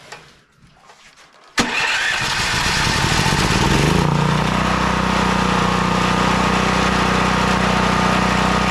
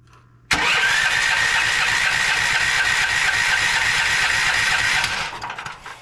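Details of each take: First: Westinghouse WGen9500 generator that would not start from no spark, now running after the no-spark fault was fixed. It catches after a pull and settles into a steady, loud governed drone with no misses, though producing heavy smoke. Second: Westinghouse WGen9500 generator that wouldn't start, after carb cleaner sprayed into the intake: steady electric cranking about four seconds with no firing though fuel is present; no spark, traced to a carboned, fouled spark plug.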